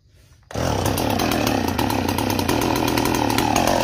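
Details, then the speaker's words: Chainsaw, warm after recent cutting, flooded; it catches and runs rough with irregular pops and stumbles, never settling to a clean note while clearing out. "She's got fuel in her. There she goes. See, she's flooded. See that? She's flooded."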